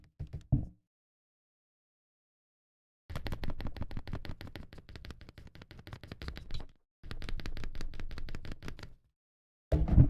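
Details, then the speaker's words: Akko ACR Pro 68 keyboard after stabilizer/switch tuning: even bursts of crisp quick clacks with no rattle or ping between strokes; properly tuned, slight squish felt. "So yeah, that sounds great."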